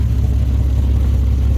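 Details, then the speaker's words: Nissan 370Z revving with a deep rumble and a choppy, puffing edge on each pulse; exhaust leaking from the flex pipe on the Y-pipe, owner plans a replacement Y-pipe. "the flex pipe right here is leaking that's why you hear that chopping noise and the carbon monoxide"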